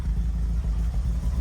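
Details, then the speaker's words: Alfa Romeo 33 16-valve: deep, even flat-four burble at idle with a steady beat and a clean rise on the throttle blip; the engine runs smooth and healthy. "Oh, it's got a right bark, haven't she?"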